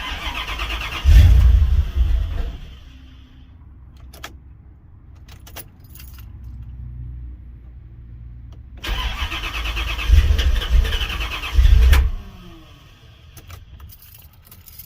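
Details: Chevy Caprice with LT1 swap, cold weather, fuel pump heard priming then cutting off: two bursts of steady cranking with no firing; won't start after earlier stumbling and backfiring under throttle.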